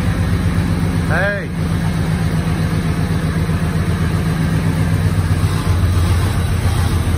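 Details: 1986 Ford F-150 V8, first start after 15 years sitting, new fuel pump, old gas: low rhythmic rumble at steady idle through small exhaust pipes, no tapping or stumbling; oil pressure up; normal idle.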